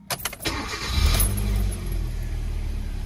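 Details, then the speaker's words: 2010 Hyundai i20 1.4 four-cylinder after fixing a misfire: cranks briefly, catches and settles into an even, smooth idle on all four cylinders, no stumble; engine light still on. "running very smooth now sounds like it's running on all four"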